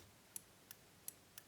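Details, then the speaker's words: Early-1960s Revox G36 valve tape recorder spool relay, previously stuck with age, freed by moving springs: five crisp light clicks about three a second as contacts switch cleanly. "now if you watch the meter cross the contacts and you can actually hear it clicking"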